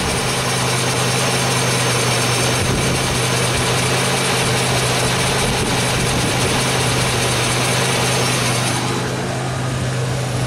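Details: 2003 Pontiac Grand Am GT, wheel spinning, stethoscope probe at the front hub held to the mic: steady rough, gritty rumble with a constant low hum. Worn front wheel bearing, and the owner's suspected hub is confirmed.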